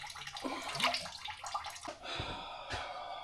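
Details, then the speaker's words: 1978 Dodge Monaco coolant leak after a botched thermostat job: wet gurgling and dripping as coolant bubbles out at the back of the thermostat housing; a new gasket is then made. "Damn it, boys. We are pissing coolant. It appears as though we botched our coolant, our thermostat job."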